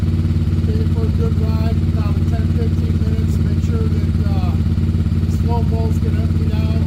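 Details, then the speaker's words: 1994 Yamaha Virago 750 chopper V-twin after running a couple of minutes: drones at a steady, raised idle around 3000 rpm that never drops back. Carbs were suspected. "you can see the RPMs on this thing is ridiculous and hey if anybody out there has an idea why this thing's screaming so high by all means comment"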